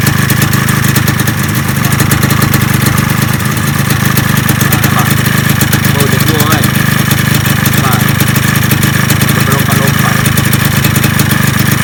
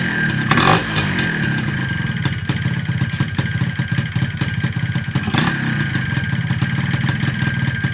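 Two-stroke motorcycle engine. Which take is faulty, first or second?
second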